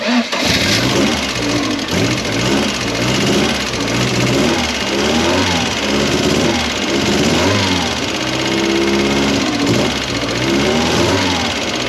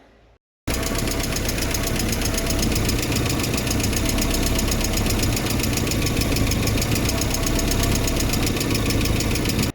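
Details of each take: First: Mk1 Ford Fiesta with Zetec conversion, after setting valve clearances with new shims: engine fires and revs smoothly with a faint light tick underneath; much quieter than before, tick thought to come from the injectors. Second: MK1 Ford Fiesta with Zetec engine conversion: steady idle with a light fast tick about three to four per second, owner suspects valve clearances (under camshaft, above valves), to be measured and adjusted if needed.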